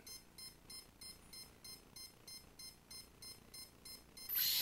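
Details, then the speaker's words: CX-20 quadcopter ESC with battery plugged in and remote on: short high-pitched beeps about two and a half per second, never stopping; ESC continuous beeping fault not cleared by arming, ESC or APM controller suspected. "As you can tell, it's still beeping, so it sounds like we're most likely not going to fix this issue."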